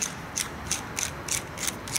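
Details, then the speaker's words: Honda Civic Si right driveshaft auxiliary (intermediate) bearing, NTN, removed and spun by hand without load: gritty rasping hiss pulsing about three times a second per turn; rough worn bearing needing replacement. "e assim sem carga mesmo fazendo barulho imagina com carga vai fazer barulho para caramba né"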